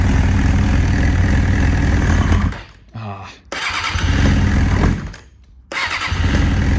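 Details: Bike just carb-worked with idle screws turned up nearly all the way, running on choke: engine blats and revs, then sags almost to stalling twice and picks up again, won't hold idle; rough running from poor carburetor tune.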